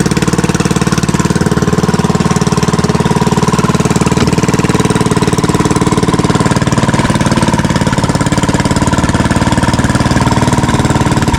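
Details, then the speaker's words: Fishing-boat (bangka) engine running smoothly after its earlier misfiring was fixed, with the shaft (ehe) tied to its bushing and running true; steady, even chugging at constant speed, about four beats a second, with no skips or knocks. "Y ayos Walang kapalag-palag mga baka maganda yung tining ng ano niya ng ehe."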